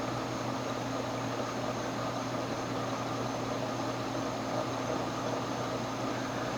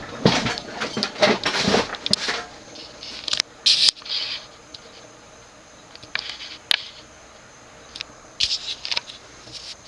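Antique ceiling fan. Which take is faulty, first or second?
second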